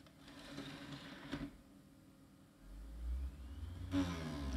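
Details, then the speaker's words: Scrapyard HP IDE drive reading a CD: a loud rising whir over a low, uneven rumble, like an unbalanced disc, and the whole drive moves. It reads the autorun, but the cause is unknown and needs opening up. "oh stop stop stop something is not right okay I guess the CD is okay but I don't think I want to use this drive for any of my original CDs or any CDs for that matter"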